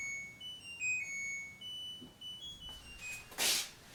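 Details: LG WT1101CW top-load washer, after a budget repair of an IE error with the drain pump running continuously: a short run of clean high beeps stepping through a little tune, the usual end-of-cycle chime; the cycle finished normally.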